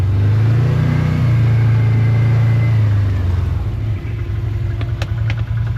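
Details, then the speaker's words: Can-Am Commander 1000 XT plowing snow at -29°C: the deep, steady engine drone climbs and holds high revs without labouring as the wheels spin out once the plow stalls against the snow. "Now the reason why I only plow a bit at a time is because I can hear the engine rev and everything's spinning out."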